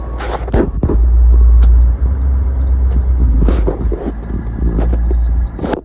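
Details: 17 ft flatbed truck at startup: about fourteen short high-pitched chirps in six seconds over low engine rumble, never heard before; chirping noise at startup, source unknown.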